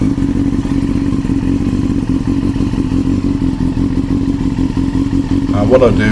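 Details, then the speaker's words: Carbureted 2002 Yamaha R6 (5EB) four-cylinder project bike after repainting, starting up again. A busy, even exhaust note holds steady with a short blip near the end, with no misfire: normal running. "so there's the bike starting up again"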